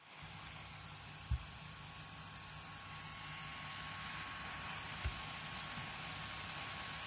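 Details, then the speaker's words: Low-end HP laptop at idle: constant airy rush with a faint, thin, unchanging whine; loud cooling fan noise while idling. "so it really isn't a very powerful machine for that in addition at idle it sounds like this"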